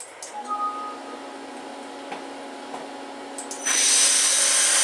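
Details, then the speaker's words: CNC mill spindle on new belt-drive motor mount with extended quill, camera inside enclosure: low, quiet steady hum with faint even whine, then a smoother louder hiss; normal running, quieter than the previous gearbox drive. "it really didn't appear to sound like it was more quieter with the belt drive but believe me it was definitely quieter"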